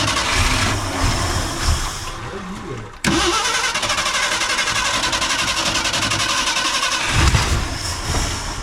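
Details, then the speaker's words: 1968 Ford F100 Ranger, abandoned for years, after ignition points adjustment: starter cranks steadily without firing, pauses, cranks again without catching; carburetor not getting fuel (stink bug found in carburetor, fuel pump suspect) — fuel starvation no-start. "All right, she just needs fuel. You want to put the snap tank on it? She just needs some gasoline. That's all she needs."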